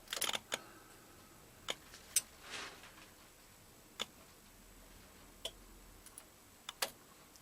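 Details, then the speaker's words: 2000 Yamaha FZS600 Fazer with suspected fuel pump or relay fault: soft sparse clicks as ignition turns on, normal pump priming until the relay shuts off. "en you first turn the ignition on I'll show you and it pressurizes or primes the system you'll get the famous clicking obviously with any air and then when it primes and pressurizes the system the relay or the the sensor I should say back pressure sensor shuts and obviously the relay shuts off as well as you will hear"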